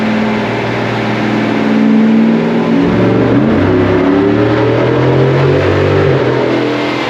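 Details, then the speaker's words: 2017 Cadillac Escalade 6.2 LT V8 with BTR cam, DOD delete and Corsa exhaust, first startup and startup tune, warming oil: deep even exhaust note rising with each blip and dropping cleanly, no misses; normal revving. "She sounds real good. Corsa sure does make a nice exhaust system. I can't wait to hear it on the dyno."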